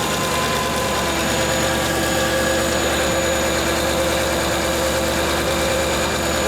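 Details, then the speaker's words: V8-swapped Ford Capri at idle with an exhaust leak blowing at the back and side of the 'pump' (as stated). A loud, steady idle carries a rough, raspy hiss over the engine note. Smaller leaks are also known; a new exhaust is planned. "we do have the back of this pump is blowing out there. The side of that pump as well."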